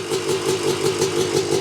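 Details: 1986 Yamaha YZ250 two-stroke, not run since 2015, reeds cleaned, first start on a borrowed carb and throttle from a 1975 250 MX, choke on. Crisp, even popping at a steady fast beat, no misses or rattles: normal two-stroke idle.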